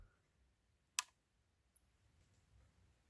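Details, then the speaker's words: Laptop power adapter, outputting 13.97 V with red LED, switched off: one sharp click then a fainter tick from inside; owner suspects a capacitor discharging, unsure; adapter works; click at switch-off. "there's just a little sound inside it like a little uh maybe like a capacitor discharging i don't know it's a really funny sound"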